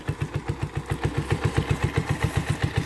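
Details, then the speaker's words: 1984 Honda ATC 125 after a carburetor swap, running after sitting for an unknown time; steady, evenly spaced single-cylinder thumps at a smooth idle with no stumbling or surging. Normal idle. "she is idling I don't know how long she sat before she ran"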